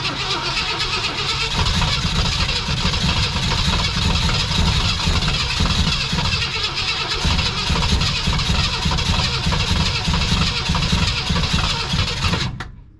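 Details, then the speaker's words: 1965 Lincoln Continental that sat for years, new gas tank, spark confirmed, two-stroke poured in: starter churns steadily about twelve seconds without catching, crank no start from lack of fuel before timing was advanced. "all all right try again [Music] all right let's give her a little Go Go Juice wejust the timing on a little bit and we're going to see if she'll fire off"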